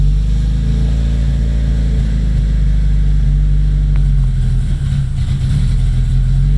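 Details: Freshly rebuilt Nissan KA24DET at first start, deep idle that wavers and stumbles; owner says vacuum leak from untightened lines to the blow-off valve causing jumpy rpm; oil pressure good, no obvious leaks.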